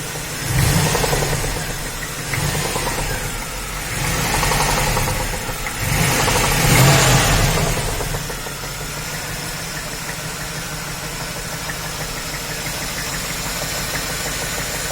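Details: Chevy 350 LT1 V8 on its last run before removal: a few revs, then an idle with a steady knock about three times a second plus squeaking; the owner suspects rod knock from a spun bearing.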